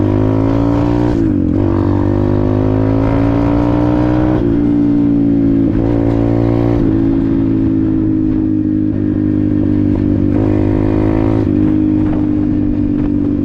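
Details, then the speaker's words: Apollo RFZ 125 X18 pit bike with a new Nibbi PE22 22 mm carburetor, stock jets and only briefly adjusted. It pulls cleanly through repeated revs and shifts with no popping or stumbling; healthy and crisp. "Woo! Wow! Wow. Woke it right up. Unbelievable."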